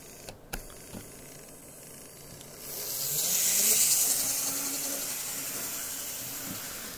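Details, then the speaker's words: Graham Farish N gauge GNER HST power car, after finding a worm-gear mesh problem (gear too thick), running slowly on one bogey drive: faint, even high-pitched motor hum and hiss, no catching; running smoothly. "let's go really slow seems pretty happy doesn't it"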